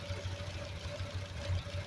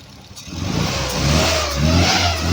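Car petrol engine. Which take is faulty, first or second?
second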